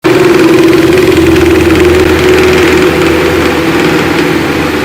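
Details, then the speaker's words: Pedestal fan running: steady motor hum with a rough, fluttering drone pulsing about three times a second; worn motor bearing, fixed by replacing the fan bearing. "दोस्तों जैसा कि आपको इस पर depend से आवाज सुनाई दे रही है दोस्तों जैसा कि स्पेशल फोन में आवाज हो रही है"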